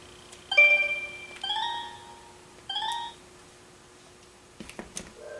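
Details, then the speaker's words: Phone line after installing a Viking RG-10A ring amplifier, on the run to the living room, where one jack has a cordless phone plus another phone: warbling ring bursts come broken and uneven. Polarity issue suspected, not confirmed. "I'm getting a very odd ring pattern out of one of my lines, the run that goes up into the living room. I suspect that it's some kind of polarity issue perhaps."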